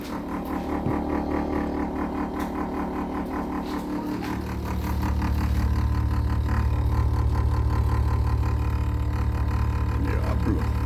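A constant low hum with a steady pulse near four beats a second that grows louder and fuller partway through; the cause is unclear.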